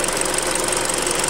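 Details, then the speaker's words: Hyundai Creta at about 40,000 km, idling during an oil change, old oil said to be 5W-30: quick, fairly even light ticking over a steady idle hum; owner suspects the hydraulic lifters. Cause suspected, not confirmed. "вот сок от форсунок вот здесь ну кто так партонов но здесь наверное гидрики уже"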